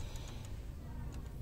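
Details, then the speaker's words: Honda Grand motorcycle with power loss and no RPM gain at full throttle: low engine rumble with light, sharp "ketek ketek" ticks. Valve clearance on the lower valve is too wide because its camshaft lobe is worn down. "setelan klepnya terlalu jauh ya tuh kedengeran suaranya ketek ketek ketek ini terlalu jauh"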